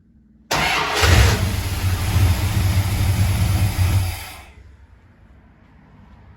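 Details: 1974 Jensen Interceptor after faulty ignition coil swapped for an old plain 12-volt coil without ballast resistor: cranks briefly, catches cleanly, settles to steady low rumble before switching off; engine starts and runs.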